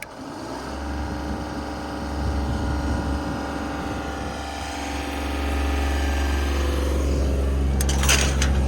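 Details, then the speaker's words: Genie boom lift with onboard hydraulic-pump-driven generator, switched on from the basket with machine running: steady diesel idle climbs smoothly to a higher, even speed and holds; normal engine rev-up as the generator engages. "It's off now. When you turn it on, you'll hear it rev up"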